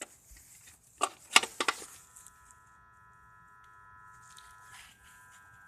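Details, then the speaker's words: Idle control valve, previously removed and cleaned, with the key in the second position on a crank-no-start car: faint steady high buzz after handling clicks; owner wonders if the valve is defective. "that's what that buzzing sound is to idle control valve is it supposed to buzz like this it's just buzzing vibrating nothing that's happening"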